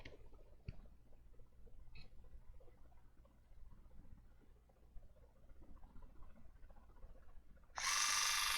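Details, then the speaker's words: Water flosser under repair: its small pump motor starts with a steady high buzzing whir and runs normally. The motor and main board are fine; the protection board is the suspected fault. "so you see we have a light here and the motor is turning on"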